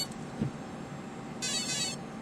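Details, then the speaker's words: Align helicopter ESC with motor connected, powered up at full stick after throttle found reversed: high steady half-second electronic tone followed by beeps reporting current programming; normal start-up initialization tone for flight. "that is the proper initialization for flying and then the speed control goes through a set of beeps telling you how it is currently programmed"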